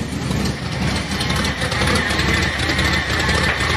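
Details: Car at lumpy idle, fuel pressure 5.5 psi, first start in a few weeks: steady high whine over the idle, source unknown; owner suspects the power steering and plans to pull its belt.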